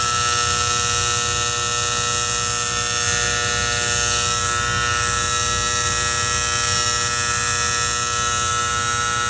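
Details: Antique gas furnace: steady electrical buzz with a mains-like hum and a fizzy edge, constant throughout, from the magnetic diaphragm valve. The plunger with its spring is suspected; not confirmed.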